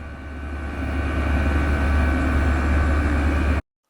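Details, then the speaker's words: Chinese diesel heater at full power, fuel pump at 5.5 oscillations per second, about 4 amps, roughly 500 ml/h fuel: loud steady fan roar at 65–66 dB with a smooth low rumble and no surging, knocking or squeal. "and now running at full power it's also quite loud over 10 decibels higher at 65 to 66"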